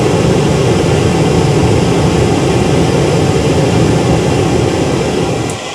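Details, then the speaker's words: Riello R40 G10 diesel oil burner, bench-run after removing a dirty filter: a steady fan and flame roar with an even hum and no sputter. Burner runs normally. "Well, that was an easy fix. It ran out of diesel."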